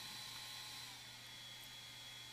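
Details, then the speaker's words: DJI Digital FPV Goggles, about two to two and a half years old, cooling fan freed after suspected dirt stuck in it: light high whoosh with thin steady whistle, no scraping. Fan spinning normally. "you'll be able to tell if you have this problem because um the goggles will boot loop um and also you won't hear the fan sound when you power it on that kind of whooshing fan sound which sounds like this"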